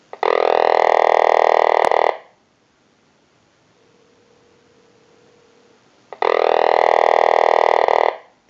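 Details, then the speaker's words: Vintage Frog telephone after repair, rung from a cell phone through a circuit redesigned to sound frog-like: raspy, croaking buzz for about two seconds, four seconds of silence, then rings again; ringer working normally. "Now what we want to do is go ahead and use a cell phone and call our number, and you'll hear the ring cycle audio."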